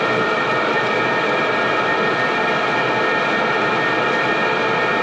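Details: maXpeedingrods 12V 5kW Chinese diesel air heater, warmed up with very hot outlet air, current draw dropped to about 4 amps, just before being dialed to max; an even, steady fan and burner whir with no pulsing, rattles or misfire bangs. Normal operation.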